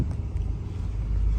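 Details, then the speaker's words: 1972 Ford Thunderbird V8 with Edelbrock carburetor, just after cold start with choke: deep, even rumble settling into steady idle, no misses, knocks or ticks; normal idle. "runs beautifully, it really does."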